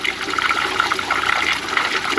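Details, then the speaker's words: Ram 2500 with no heat, heater core flush with hose held on and no cleaner: after a sudden blow-through, suspected plug or air gap, a strong, steady rush of water flows out with no sputter; the heater core now flows freely. "Unless we blew something up. Now we have good flow"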